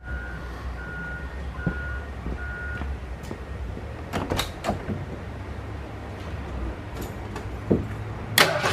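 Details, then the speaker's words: 1981 Ford F100 V8 after a loose rocker was adjusted until pushrod play stopped plus a half turn; chimes, then an even idle with the rocker rattle gone and only a faint light tick left. "As you can hear, the the rattling rocker is now quieted out. There's a tiny little tick in it."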